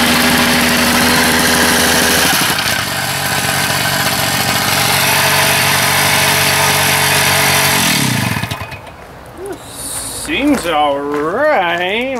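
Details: Two-stroke Jumpin Jack saw after carburetor diaphragm work: high buzzing held steady for about eight seconds, then drops away cleanly; runs evenly with no stumbling, though owner suspects tired rings or a worn cylinder.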